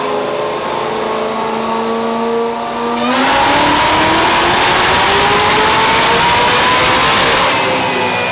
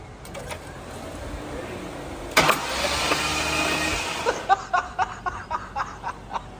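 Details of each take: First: 2004 Mustang Cobra Terminator with a ported 2020 GT500 blower and a brand-new motor at about 50 miles, on the dyno after a spark plug swap: a clean full-throttle pull with no misses. Slight smoke, possibly ring break-in. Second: 2004 Mustang Cobra Terminator with a 2020 GT500 supercharger on E85, on the dyno. Starter cranks in a rough burst, then rhythmic spurting pulses as water is ejected. Hydrolocked: water found in only one cylinder.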